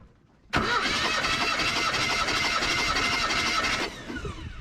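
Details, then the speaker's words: Old truck with 179,000 miles, last tagged 2005, during a compression test: about three seconds of brisk, even cranking at roughly four beats a second with uniform pulses. The reading is about 170 psi; compression is healthy, possibly helped by some oil inside. "about a good buck 70. cylinders two and three will get you across town cylinders one and four will win that damn drag race baby those are numbers we're definitely not mad at seeing"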